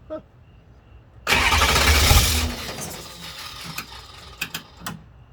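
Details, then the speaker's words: M1152 diesel first start since delivery after sitting, mechanical fuel pump still drawing fuel from tank: about a second of heavy cranking that dies without catching; crank no start, fuel not yet primed, though some fuel seemed present. "so that was expected but it actually sounded like there was a little bit of fuel in there"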